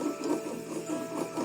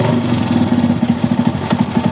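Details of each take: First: Motorcycle engine, crank turned by hand with the side case open: slow rhythmic dry rumble and scrape about twice a second, with slight play at one point; worn crankshaft main bearing, fix is replacing the bearings. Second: Single-cylinder carbureted motorcycle (Titan) idling steady and even after replacing a failed crankshaft bearing that caused a strange engine noise; no knock or rumble, running healthy.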